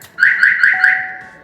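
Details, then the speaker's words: Chevrolet Aveo T300 with Starline A93 alarm: four quick high beeps after pressing valet button 14 times and cycling ignition, immobilizer bypass programming failed. "4 раза пискает, что-то не хочет."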